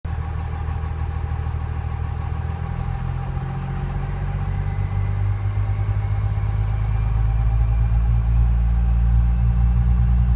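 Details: Cummins diesel idling with a light, hit-and-miss ticking that comes and goes every few seconds; cause unknown to owner.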